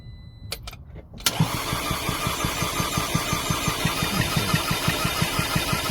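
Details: 2011 Audi A4 2.0T no-start: even, quick cranking about three beats a second with no firing; compression test shows only about 30 psi on cylinders, low compression.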